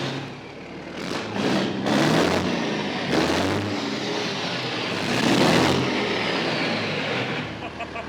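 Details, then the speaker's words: Big diesel after new injectors and new Pypes 7-inch exhaust stacks, pump untouched: deep rumble rising and falling with throttle blips, pulling up cleanly and dropping back smoothly; healthy engine. "Oh, that sounds so good. Those Pypes exhaust sound amazing. There we go."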